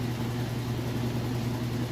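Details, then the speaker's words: Roper washer spinning a heavy load of towels and jeans during a pre-sale test after strong agitation: steady low hum, even tone, no thumping or banging; balanced, healthy spin. "Okay, and here we are on the spin cycle. Do an excellent job. Considering how heavy that load is, it is doing an excellent job."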